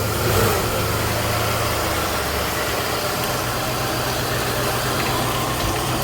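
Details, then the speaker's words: 1994 Cadillac DeVille after power steering pump and lines replacement, idling in rain: steady even idle with no whine; normal quiet idle, water may cause slight belt chirp. "but i mean you hear no wine no nothing very very quiet that's the way i like it"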